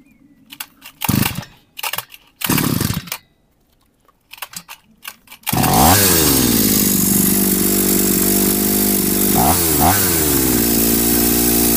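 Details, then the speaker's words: Homemade two-cylinder two-stroke brush cutter with one shared ignition coil and two joined carburetors: fires and holds a harsh buzzing run with blips, runs only one cylinder at a time; owner suspects a missing second ignition coil, unconfirmed. "тільки чомусь працює по черзі двигуни. Разом вони чомусь не працюють."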